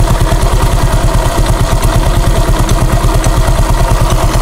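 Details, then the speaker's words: Honda Click 125 scooter idling with the CVT cover off during maintenance: an uneven clatter of about three per second rides over the low engine beat; something is heard at the drive face. "may something ako naririnig dito sa drive phase."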